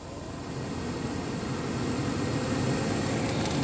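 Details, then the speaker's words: Ford Explorer blower motor after replacement (it previously sounded bad when it kicked on at full speed): smooth, even airflow rush swelling as the fan spins up, no ticking or rubbing; it runs quiet and healthy, a normal blower motor. "this Ford Explorer is all sets blower motor works just fine [Music] sounds good nice and quiet"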